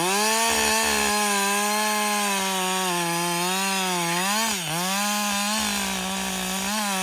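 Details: Husqvarna 562XP 60cc chainsaw bucking dead windfall two-thirds into a tank, after a software update and a dealer leak-down test showing no air leaks: strong, clean high-revving buzz that dips and recovers under cut, no stumbling; normal running under load.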